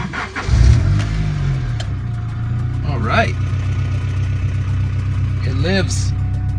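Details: 1992 Honda Civic with B18C engine after resoldering the cracked main relay contacts: fuel pump heard, short crank, catches first try and settles into steady, even idle with no stumble; normal engine start.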